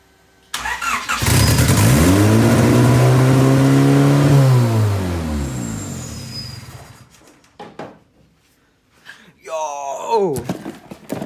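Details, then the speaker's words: Turbo right-hand-drive Honda EG, first start after Rywire PDM and chassis harness install. Cranks and catches, surges to a high steady idle that drifts down before shutoff; high idle, owner suspects vacuum leaks. "The throttle cable, oh, you know what? It's probably got a couple vacuum leaks. That's what it is. That's why it jumped up so high."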